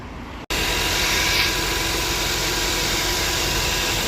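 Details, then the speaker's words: 2010 Honda CR-V started after alternator replacement, with the power steering pump reinstalled and the belt refitted; battery light expected to go off. Engine fires after a brief pause and settles into a smooth, even idle with light belt whir. "Let's start it up. We're gonna be good to go, man."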